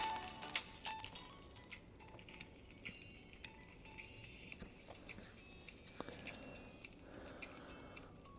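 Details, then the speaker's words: Old Turtle Beach headset modded to Bluetooth with an ESP32/BT module: music plays through steady, irregular pops and crackles that never clear; persistent crackle in the audio path, cause not found. "Okay, we're getting sound, but it is incredibly crackly still. It's like it's kind of like Oh, there's still a lot of crackling coming through on this."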